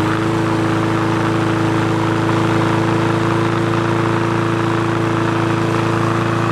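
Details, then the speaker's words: Free push mower that wouldn't start, after the carb was cleaned, its diaphragm and gasket replaced and a spring replaced: a steady, even drone with a firm hum and no misses or surging. RPM is being raised via the spring levers; now running well. "all right guys so there you go it's uh running good there i was just kind of adjusting the rpm by increasing the tension on these springs by just pulling the levers right here and right here"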